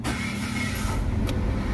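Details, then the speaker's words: Mitsubishi Mirage petrol engine, hard starting with the check engine light on and code P0301: it catches and idles roughly, stumbling unevenly from a cylinder 1 misfire. "hard starting nakailaw yung check engine yung makina niya po palyado"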